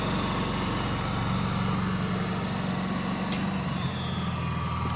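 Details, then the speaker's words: Honda EU7000 fuel-injected inverter generator after overload trip at 7700 W, restarted, all load removed: steady even drone at constant low speed, no surging or knocking; normal no-load running. "okay we're back to 2400 so if we take all the load off of it this is what it sounds like with no load"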